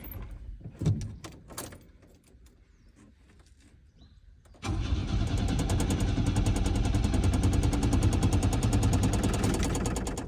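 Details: Old Chevrolet Chevette on a cold start: after a few seconds of quiet, steady starter churn at about three and a half beats a second that never catches; no start, cranking stopped to spare the starter motor.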